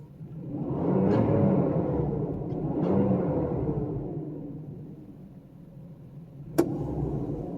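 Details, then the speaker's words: 1995 Mercedes S600 coupe V12, warm at over 80 degrees, after exhaust noise repair and new engine and transmission mounts: soft steady idle under rising and falling electric cooling-fan whoosh, no knocks or rattles; normal idle with fan running. "So yeah, sounds like a proper V12 now. Nice and quiet."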